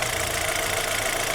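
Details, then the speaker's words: Chevrolet Zafira 2.0 after replacing the water pump, which caused a loud engine-bay noise, new silent pump and additive coolant: short steady smooth whir, no knocking or squeal; normal quiet idle. "o pessoal tá aí mais uma dica pra vocês barulho regular a safira ouviu um barulho regular procuro reparador de confiança"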